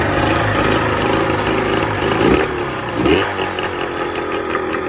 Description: 1986 evinrude 50hp outboard misfire at idle and shakey idle